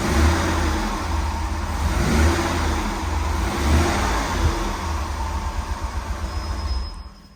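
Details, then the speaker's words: Guanci SSJ late-1970s mid-engine V8 prototype, first start after over 25 years in storage: strong V8 blipping up and settling back with crisp pulses, no knocks or rattles; normal, clean revving. "Oh, that's clean. That's This is insane! It just started."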